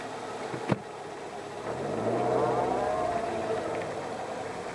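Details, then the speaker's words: Car in reverse with light throttle, creeping: thin steady whine over low rumble. The whine is present through all gears, judged abnormal, with rattling crunching on stopping and initial throttle input; transmission suspected. "if you put it in the reverse you still have the whining noise just giving it a little bit of throttle you can hear the whining"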